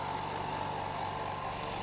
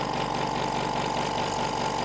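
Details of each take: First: Hyundai SAC 55751 silent (59 dB) compressor filling tank toward 8 bar cut-off, about a minute: steady even hum with soft motor drone, no knocks or rattles, quiet enough to talk over; running healthy. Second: Hyundai SAC 55751 silent (59 dB) compressor running with the intake filter tube removed: steady loud buzzing with a harsh hiss and fast, fairly even pulsing, noticeably louder than with the tube; loud intake noise.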